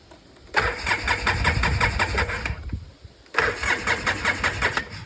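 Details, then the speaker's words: Polaris Sportsman 700 quad, mouse nest found, choke won't stay on, weak batteries: two bursts of uneven cranking with some catching, but never idles; owner suspects bad fuel pump, cheap carburettor; hard starting. "It's immediately revving to the moon. Yeah, my guess is that fuel pump's no good."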